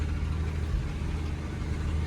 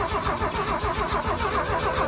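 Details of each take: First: 1979 Ford F250, revived after sitting abandoned, now running on the restored mechanical fuel pump: deep, steady low rumble with an even beat and nothing rattling over it; V8 idling smooth and healthy. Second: Abandoned 1979 Ford F250, weak leftover battery, cranking with fuel solenoid not yet in gasoline mode: even rapid cranking rhythm, no cylinders catching or speed rising; turns over but won't start, no fuel delivery.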